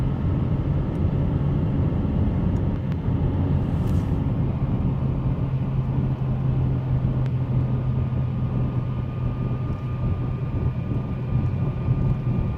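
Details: 2008 Subaru Outback 2.5 naturally aspirated, 5-speed manual: a thin, supercharger-like whine over road rumble. It is strongest in third gear on the gas, slight in 1st and 2nd, absent off throttle, and fades above third at higher speed.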